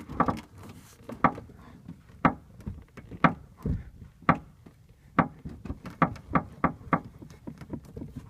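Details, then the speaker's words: 2003 Ford Mustang Mach 1, inside the trunk above the right rear wheel well: sharp metallic creaks and pops each time the metal panel is pushed, about once a second, then faster. Cause unknown. "discovered that if i push on this metal part back here I'm being like creaking sound"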